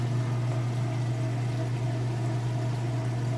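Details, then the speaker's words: Whirlpool washer, going into the rinse cycle: a steady low hum with an even water rush, no rattle or strain, while it drains in neutral before spinning. The drain pump is emptying the tub normally. "I'm not going to lift up the lid because it'll interrupt the neutral cycle. So right now it's not spinning, it's just draining, but it will kick over and then do a spin on the rinse cycle."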